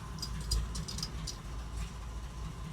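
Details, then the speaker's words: 1979 Jeep CJ-5 revived after 29 years sitting, alternator suspect, restarted before a test drive; low, uneven idle lurching and sagging as if about to stall; rough idle. "running really rough right now. Sounds like it's gonna stall on me."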